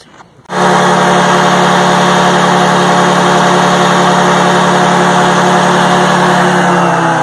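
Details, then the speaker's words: Detroit 4-71 two-stroke diesel on a little-used generator, sat about 25 years under cover, test run: loud, steady drone at a constant fast beat, smooth and even with no knocks, normal running. "with these Detroit's so I'm not sure how they're supposed to sound really but I think this is a pretty good candidate"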